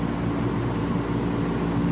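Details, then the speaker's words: Production chiller that was running warm, with flow switch issues and a just-changed flow switch: steady low whooshing drone with faint even hum, no rattles or cycling; all condenser fans now running, which they weren't doing the other day. "So, all of them are running now. This was something it wasn't doing the other day. That's actually running, believe it or not."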